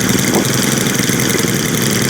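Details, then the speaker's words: New Stihl string trimmer, small two-stroke, after idle speed turned up: steady high buzzing idle holding even speed without stumbling; normal idle. "Put up the idle a little bit on that one. That sounds better."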